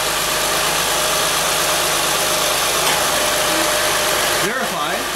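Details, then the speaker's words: 2007–2011 Acura MDX / TL / ZDX after drive belt replacement and A/C compressor fix per TSB 10-035 for cold-start belt squeak: steady idle with A/C on, condenser and radiator fans whooshing, no squeal or chirp; normal. "AC condenser and radiator fans activate when the air conditioning is turned on a ball checks out that all is good"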